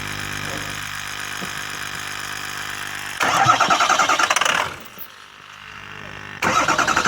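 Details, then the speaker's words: 6.0 engine, hard start: slow starter chug about three or four turns a second runs a while before the engine catches and settles; it started fine after sitting five days but cranked long the next day; fuel draining back suspected, not confirmed. "and then the next day I went to crank it again and it took forever to start it so there's something wrong somewhere"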